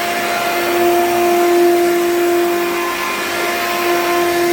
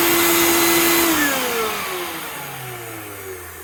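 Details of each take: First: Hoover U3109 5.5 A upright vacuum, dirty: steady high motor whine over a strong airflow roar, far louder than it should be, cause unclear; it smells burnt afterwards. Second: Master Mechanic 6 A wet/dry shop vac, exposed to rain by owners: loud high whine that drops smoothly in pitch as the motor coasts down, no grinding or scraping; noisy but sound.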